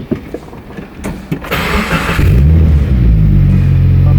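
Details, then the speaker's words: 2015 Subaru WRX after fuel pump and filter replacement for blowing fuel pump relay fuse: short crank, catches cleanly in about two seconds, steady even idle; healthy warm restart, fault fixed. "As you guys can hear, the car is all warmed up and good to go."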